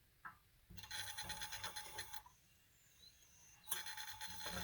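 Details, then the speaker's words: Kamplite IL-1 inverted lantern, pressurized with no mantle after the generator tip was ground and cleaned with 4/0 steel wool; clean, even rushing hiss in two steady bursts, no sputter; generator flowing properly, best yet. "Everything seems to be working right. Before I put a mantle on it, this is the best I've heard."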